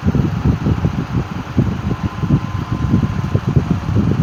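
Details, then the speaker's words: 1950s Wizard hassock fan, unrestored, running on low speed: low fan whir with uneven fluttering beat that keeps losing pace; sluggish, dragging fan motor needing restoration. "you can see how it's starting to slow down at low i don't want to take my chances by uh by wrecking the the motor on it before i even have a chance to restore it"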